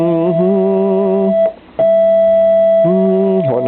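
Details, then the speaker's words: Vox Super Continental (dual) organ: held notes carry an unwanted second tone a minor third above (one note an octave). Persisted after a card swap; caused by dirty ground bus connections bleeding signal between notes. "is that yeah it's a right it's a minor third always not a major third it's all third up yeah pretty much except the F"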